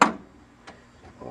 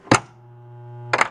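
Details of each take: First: 1993 Williams Star Trek: The Next Generation pinball (WPC), drop target coil under test with a circuit breaker in place of a blown fuse and the interlock switch held: one sharp, solid thunk, then quiet; the coil fires normally. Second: 1993 Williams Bally Star Trek Next Generation pinball (WPC), diverter problems: sharp clack at power-on with coin door shut, steady low buzz while the coil holds in, clack at cut-off; coil locks on immediately, shorted driver board transistor.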